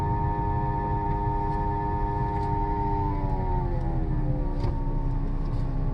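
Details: 2007 Dodge Caliber CVT, 70k miles; stacked-pitch tonal moan that slides down as speed drops, heard only at low speed when accelerating and decelerating; CVT shows no slipping or power loss; whine, cause unknown.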